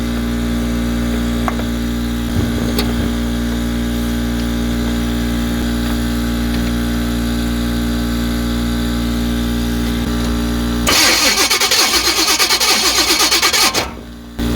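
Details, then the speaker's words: 1985 Chevrolet C10, high-compression 383 stroker small-block Chevy, sat 10+ years, starter acting up: about three seconds of quick even cranking with no fire over air compressor drone; distributor control module suspected, not confirmed. "yeah I don't think she's firing it don't sound like it"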